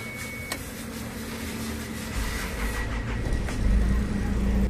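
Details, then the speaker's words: Isuzu Trooper diesel after tightening leaking number three injector fuel pipe nut, previously hard starting; catches in one click and settles into steady, even clatter: normal quick start. "ayos one click na ' nag-start before kasi mga boss hard starting '"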